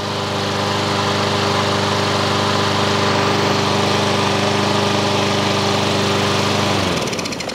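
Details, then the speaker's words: Honda lawn mower single-cylinder with auto choke deleted for a manual choke cable and a new carburetor, started first pull: strong, steady drone at full mowing throttle with no misses or surging, then winding down; runs healthy. "now we're at full mowing speed now can we idle this down now so you know to run it full FL all the way"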